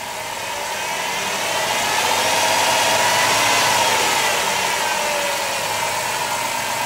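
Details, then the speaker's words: 1990 Ford van after water pump replacement (old pump leaking from weep holes): steady, quiet petrol idle with an even hum and faint whine on top; a mechanic heard slight noise from the alternator with a stethoscope; otherwise smooth normal idle. "Sounds great. Like I said, he put a stethoscope on the alternator, and there is a little noise coming from that, he says, but at this time, everything should be okay."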